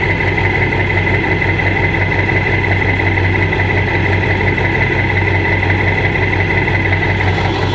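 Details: Ford 7.3 diesel in street mode after high idle: uneven idle with a loose knock about three per second, like a rod knock, over heavy rumble. EGTs good, no power; cause unknown.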